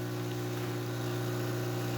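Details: Isomac E-61 espresso machine after full service (descale, backflush, new group gaskets and shower screen), test shot pulling: loud steady low buzz holding even pitch, no sputter or strain; normal vibratory pump operation.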